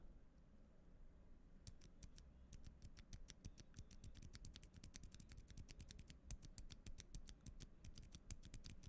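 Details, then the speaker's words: Gateron Silent Black switch from an LK67 keyboard after lubing: rapid, short, clean clicks, with the stock switch's scratchiness, leaf-spring ping and spring noise gone. "pretty much all of those issues that i noted are gone so good stuff good stuff"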